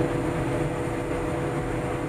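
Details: Bomag BW211D roller diesel at high idle, where measured oil pressure is about 7 kg: a steady, even roar with no knocks or misses. The engine is healthy; the low oil pressure warning and shutdown are traced to a faulty pressure switch.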